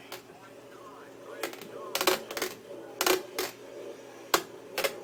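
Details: Fanatec CSW wheel two days old: loud irregular creaks under hard left-turn load, none turning right; cause was loose Allen bolts in the quick-release connectors on rim and base, cured by tightening. Creaking from loose quick-release bolts.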